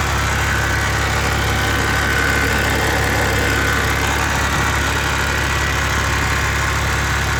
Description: can somebody explain this noise ? only at idle when rev the sound is gone. . .